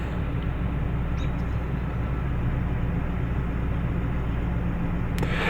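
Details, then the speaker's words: Toyota Tundra that stalls and runs rich, idling: low uneven rumble with slight wobble, air mass meter reading high and long-term fuel trim elevated, no misfires; inaccurate air mass meter diagnosed and replaced. "And I can feel a bit of a rumble. Air mass meter seems high, too. Hmm. Yeah, definitely got a bit of a rumble."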